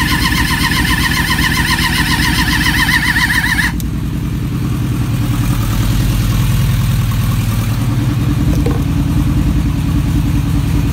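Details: Suzuki GSX600F with a cold-start problem: after spray flooded the spark plugs and they were cleaned and refitted, about four seconds of steady whining cranking, then it catches and runs fast and rough; it starts.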